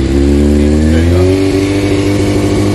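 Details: Rebuilt wrecked Honda CBR600F4i, started upright after electrical repairs: the four-cylinder hums at a high, steady idle, pitch settling smoothly with no misfire or mechanical noise. Normal fast idle after start.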